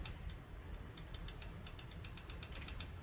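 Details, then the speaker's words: Kayo 90 pit bike after valve adjustment for low compression, lock nuts tightened, on top dead centre compression: light, crisp metallic ticks as the rockers are rocked by hand, showing valve clearance is present. "And now we can you can hear them clicking now when I move them back and"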